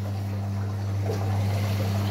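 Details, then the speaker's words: Electrolux EWS 1046 washing machine, never repaired apart from a once-broken power cable, recirculating water while filling: smooth, constant pump hum with water trickling and splashing through the drum, no grinding or rattle, working normally. "Вот так вот циркулирует, очень это хорошо, набирает воду и одновременно все это уже перемешивается, растворяется хорошо в таком случае."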